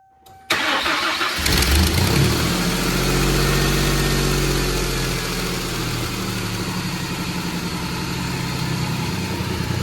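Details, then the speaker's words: Mustang, mass airflow sensor unplugged for testing, coolant temp sensor suspected faulty: quick start, brief rev flare, then smooth even idle with no misses, running fine, even better. Normal idle. "And it seems to be running fine. Better actually."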